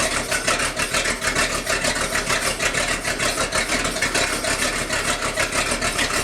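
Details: Sea Ray 220 boat with 7.4 big-block marine V8 on a cold start, about 65°F, during restoration: steady even idle with a firm regular beat; occasional stumble attributed to water in the gasoline, otherwise healthy.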